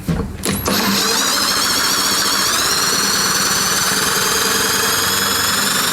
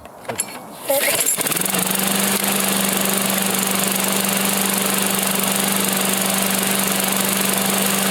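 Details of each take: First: Stiff Briggs & Stratton engine on a Husqvarna, never had its oil changed, with molasses-like varnished oil and the intake valve and lifter stuck; cranked over, a steady high whir that starts stiff, then picks up speed as the varnish-stuck lifter frees. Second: After a short start-up, a Briggs engine on a Husqvarna settles into a smooth, even drone with a steady tone and no misses or knocks, after freeing an oil-varnish-stuck intake valve and lifters from never-changed oil; runs healthy.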